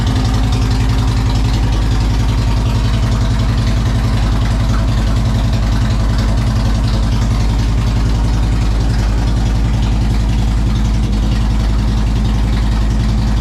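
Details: 2007 Harley-Davidson Road King Custom, started in neutral after the alarm key fob battery was replaced to cure a no-start following winter storage: strong, even low thump at about 3.5 beats per second, no knocks or misses; healthy.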